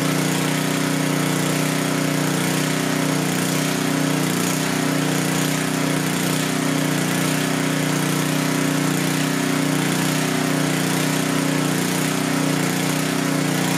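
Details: Coleman Powermate 6250 generator with a 10 hp Tecumseh engine, powering floodlights under load: steady, even drone holding constant speed, no surging, misses or knocks; runs healthy.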